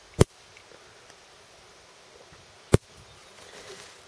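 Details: Fencer showing low voltage; high-tensile hot wire rubbing beneath a ground wire, burnt through and smoking insulation, shorting. Two sharp isolated snaps about 2.5 s apart over quiet outdoor air as the hot wire arcs to ground while being pulled back; fix planned: new side clamp rerouting wire.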